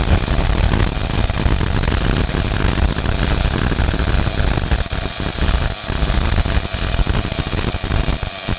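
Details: Old Miller-Matic 251 MIG welder at 21 volts and 366, welding pipe fittings: a continuous, even crackling sizzle with no pops or sputter breaks, a smooth arc at good settings; steady MIG welding arc.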